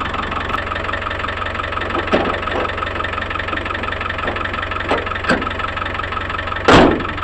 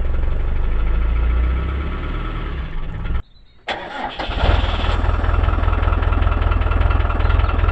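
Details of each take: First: Land Rover Discovery 1 diesel, neglected and started after standing: steady, even diesel clatter at idle with no misses or hunting, a few handling knocks; healthy idle. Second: Land Rover Discovery 1 diesel, neglected and standing outdoors, in neutral after glow-plug preheat: cranks, catches, drops out briefly, then clatters into uneven idle; hard start after long storage, dog barking nearby.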